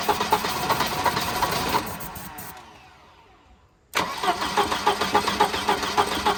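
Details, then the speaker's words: Wrecked Volvo 240 B230 engine, now with Pertronix ignition after original coil burned up: fires and runs unevenly, fades and dies, catches again; engine stalls after starting, owner suspects fuel starvation, batteries running down. "It's definitely a fuel issue. Okay, let's try it straight now, this port here. Well, it wants to run."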